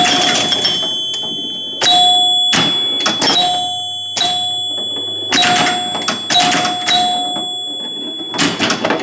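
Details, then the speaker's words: Gottlieb electromechanical pinball machine chime unit after rebuild, played normally: clear bell tones in irregular bursts, low, medium and high chimes (tens, hundreds, thousands) each distinct and decaying cleanly; normal chime operation. "But just listen, you'll hear low, medium, and high. There's hundreds."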